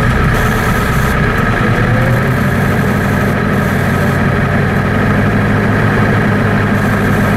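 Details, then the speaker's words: 1990 Ford F-Superduty, naturally aspirated 7.3 IDI diesel, revved to about 2000 rpm: heavy, lumpy, weak drone with poor throttle response, as if on half its cylinders; injection pump or injectors suspected, water got in the fuel. "it's very uh it's backlusting and uh oh throttle response it it sounds like it's not running on all cylinders"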